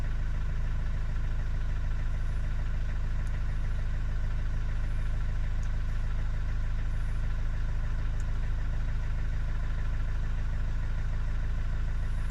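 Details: Vauxhall Vivaro diesel cold at idle: steady even clatter around 200 beats a minute with rough undertone until warmed; also dump-valve noise in 1st/2nd, slight black smoke; owner suspects EGR or vacuum leak.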